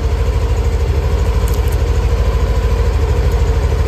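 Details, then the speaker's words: Yamaha NMAX Neo (third-generation) scooter at 6,300 km, warming up before an oil change so the oil thins and drains fully: smooth steady low pulsing about three beats a second, no rattles or misses; normal warm idle. "bertujuan agar olinya agak panas. Kenapa kok agak panas? Kalau oli agak panas itu kan biasanya agak encer, jadi biar dia turunnya nanti biar benar-benar bisa bersih."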